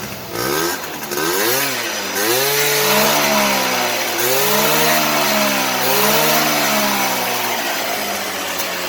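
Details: Honda AF28 two-stroke scooter with 48 mm bore kit, stock carburetor and stock exhaust, after fixing a stutter (aftermarket ignition box fitted): engine blips up and down cleanly, revving smoothly with no stutter or misfire.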